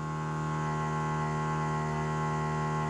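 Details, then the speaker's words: 1955 Chevy small block project, first start after 10–12 years sitting: steady constant whir holding one pitch, a Holley Blue electric fuel pump running normally after 12 volts applied to relay. "the relay, so if I add 12 volts to that, we should hear the fuel pump start clackety-clack. Now, this is a Holley blue pump. I don't know how noisy it is, but I'm assuming we're gonna hear something if I got it wired right."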